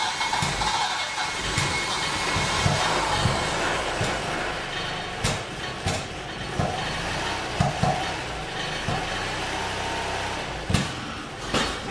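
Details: Saab 900 Classic, first start after years of sitting, with a rebuilt Zenith/Stromberg CD175 carburetor and a cleaned fuel tank: the engine note is uneven and stumbling, with irregular pops and surges. It is smoky, and the owner suspects the timing but has not confirmed it.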